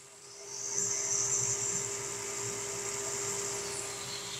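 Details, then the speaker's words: Centrifugal surface pump running steadily with an even high-pitched hiss and constant tone, no surging or crackling; about 1.5 bar discharge, near 8 A draw, operating normally within its curve. "the sound of the pump alone will tell us that it is working within its operating curve."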